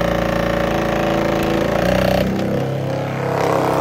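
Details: 12-volt virtual pinball shaker motor on bench supply, held under pressure: loud, steady buzzing rattle at even pitch with no knocks or scraping; normal shaker motor vibration.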